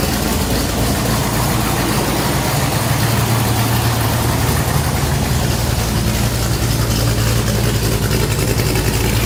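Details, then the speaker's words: Vintage Ford highboy truck V8 with loud 2-into-1 3.5-inch exhaust, back in the shop after overheating in Colorado and sitting two years; deep, loud idle with uneven, lumpy, choppy lope and heavy bass rumble; healthy engine, loud exhaust. "So it has a really good tone to it, really choppy idle. I really like that."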